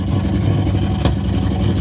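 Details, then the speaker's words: '65 AMC Ambassador after revival, fresh oil, running off a tank with no muffler and some choke: loud, open, bassy idle that revs up well, with a sharp pop out the pipe. Unmuffled idle with exhaust pop. "Revs up pretty good now. Listen to that. I love it. Needs a muffler, but it does sound pretty cool though."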